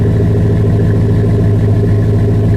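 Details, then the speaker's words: 2005 Chevy Silverado 1500, 5.3 pushrod V8 with Flowmaster 50 series Delta Flow muffler, cold start: smooth, even deep burble at raised steady high idle before idling down, no knocks or misses; normal. "Can't beat the sound of a 5.3 pushrod engine. Nope. That's high idle. I can wait for it to idle down a little bit."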